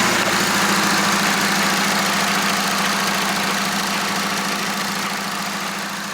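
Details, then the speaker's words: VW Jetta Sportwagen transmission just disassembled and reassembled during a 4motion conversion: fast, even ticking about three and a half per second over a droning hum; sounds unhealthy, cause not pinned down. Abnormal transmission noise. "completely taken apart the transmission put it back together and as you guys probably heard it doesn't sound very good or very healthy"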